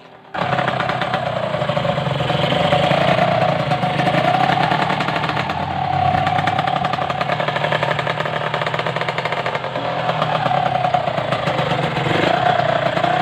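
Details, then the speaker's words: Restored Kawasaki Ninja R two-stroke after service, with a new chain and a PE28 carb: a raspy idle with a steady, slightly wavering hum. The hum comes from the worn primary gear drive, which needs replacing. "bukidnon kira-kira begitu suaranya jadi suara dengung itu suara dari rasionya bukan sekedar ingin jadi rasio primer Yani minta diganti"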